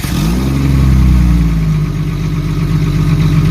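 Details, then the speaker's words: Jeep ZJ with muffler rusted through and holed, leaking exhaust fumes into cabin: loud deep raw rumble swelling on a blip into throaty idle. "well there's a big huge rust hole in my muffler"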